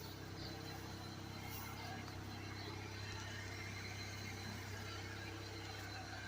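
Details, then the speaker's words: 2004 Suzuki Forenza that sat 6–8 years, running after a new fuel pump and fresh gas, with old fuel still clearing the lines. A quiet, even engine drone with no misses or knocks, a normal smooth idle. "my God she's running I'll get her up to the shop and get her cleaned up"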